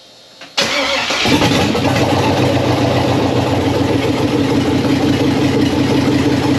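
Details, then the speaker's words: Abandoned 1999 Jeep Wrangler TJ with LS V8 swap and Turbo 350, after adding grounds, fixing fuel line leak and vacuum leaks: brief crank, fires and drops straight into steady even idle, no misses; running healthy, apparently nothing leaking. "That's awesome. Started up, started idling. Man, that's awesome."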